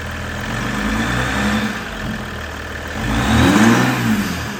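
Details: Ram EcoDiesel after aFe charge pipe install: starts, settles to steady idle, revs cleanly with a light turbo whoosh, turbo more audible than before, no knocks or rattles; healthy.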